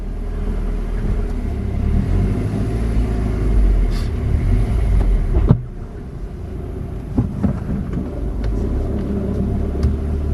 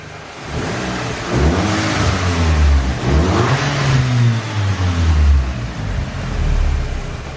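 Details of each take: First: Salvage Audi A3 2.0 TFSI driven up the drive after gearbox oil change: rough, uneven rumble with sudden drop, stuttering and hesitating only under boost; stored fault shows cylinder misfire. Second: Audi A3 2.0 TFSI salvage car, warm after a road drive, no warning lights or fault codes. Clean, even revs climbing and falling smoothly with no knocks, rattles or whine: healthy engine.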